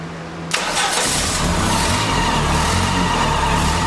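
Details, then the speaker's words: 1989 Dodge Daytona junkyard car, first run on bad gas after transmission fluid and brake cleaner: steady even run, no tapping or knocking, smoke expected to clear; motor sounds good, needs new fuel pump and leaking tank. "but it runs and it didn't sound bad either it wasn't knocking or anything it sounded pretty good"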